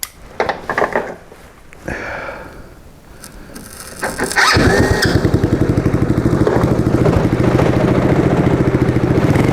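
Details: Track sled on its first test start after mounting the gas tank, correcting the start-button wiring and fitting the exhaust: the engine catches after a few pulls and settles into an even, steady beat of about three firings a second, running clean and healthy.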